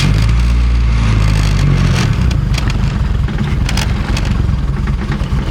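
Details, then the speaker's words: Turbo Honda D-series after overheating fix (thermostat reinstalled, block guard corrected, coil-on-plug pins fixed), running water not coolant: fires into steady even idle, no misfire; idling at 182 degrees, fan cycling, good coolant flow. "all right boys so currently we're at 182 just sitting here idling did hear the fan kick on so it's working"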